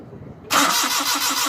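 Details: Suzuki Mehran VX/VXR Euro 2 petrol car that won't start, ignition current checked and good: starter cranks steadily at about five beats a second with no catch or firing; crank no start.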